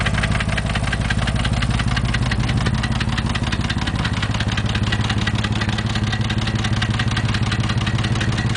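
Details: 2000 Porsche 911 (996) Millennium, 110,000 km: idling flat-six with a regular knock of roughly two per second over the engine note; engine knock, source unclear.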